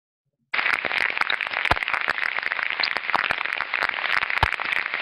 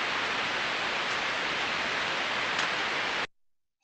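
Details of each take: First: Ultrasound on a slow-speed bearing (roughly 10–30 rpm): steady hiss broken by irregular sharp crackles and pops instead of a smooth, uniform sound; a damaged bearing, with a clear tonal change but not necessarily a much higher decibel value. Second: Ultrasound headphone recording of a bearing six months on, one of seven bearings reading 0 dB: an even, smooth hiss with no clicks or impacts over 15 seconds, so the bearing is healthy.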